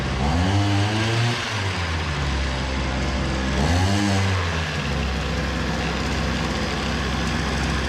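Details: Hyundai-engined brush cutter, small two-stroke: buzzes at low revs, rising briefly twice but never reaching full rpm under throttle, so the head turns slowly and won't cut grass; fuel pump draws fuel, wet air filter found.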